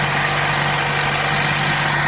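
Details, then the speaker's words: Vacuum leak on a 100,618-mile car after PCV valve and valve cover replacement: steady petrol idle with a constant airy hiss over the low engine hum. More hissing heard, so the engine is shut down to button up and check the pumps. "More hissing. I'm going to go ahead and shut it down, button everything back up, and then check the pumps."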